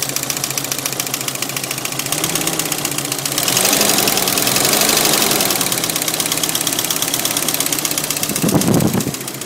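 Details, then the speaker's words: 1992 Jeep Cherokee Laredo 4.0L inline-6 idling with a fast, uneven ticking or knocking that speeds up, thins out and briefly stops; source not pinned down. "yeah sometimes it goes from uh clicking really fast to not clicking as much like it did there and then some once it stopped all together"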